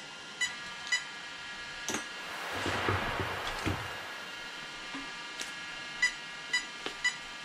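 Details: Arrma Kraton 8S ESC: a quiet room, then repeating groups of three short high beeps, the sensor loss code per the chart; the owner suspects the 2028 motor came apart inside, as the gears are fine.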